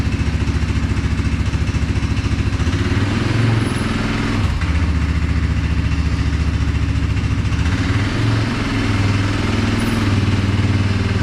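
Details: CFMOTO 520S quad, CVT belt drive after quick repair for being stuck in drive: even steady thump at idle with smooth rise in revs and no slipping, squeal or clunk; drive running normally.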